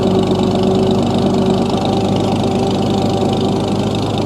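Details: 1937 Oliver Hart Parr 70 tractor running: steady, even idle with a smooth low hum, no knocks and no excessive gear noise from the transmission or front timing gears. Belt pulley is missing its drive sleeve. Healthy.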